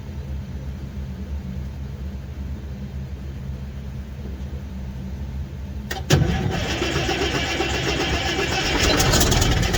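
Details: Western Star truck, Detroit 12.7L 60 series diesel, first start in almost 3 years after fluid and filter changes; about six seconds of steady starter churning before it catches and roars to a ragged idle; hard, prolonged cranking start.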